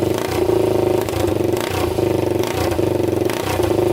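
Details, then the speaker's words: 1999 Honda 400EX after engine rebuild with new piston, first start without muffler, airbox fitted: loud, crisp open-pipe single with even rapid pulse and small blips; clean running, no knocks or smoke seen. "it seems to run really good"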